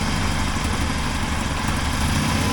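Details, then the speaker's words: 1980 Triumph TR7 four-cylinder after engine reinstall, timing set with timing light and carburetors adjusted: steady even low burble, no misses, responsive throttle; one side slightly less happy, known exhaust leak; normal idle. "it's happy I think it's happy on both sides not as happy on that side but throttles very responsive"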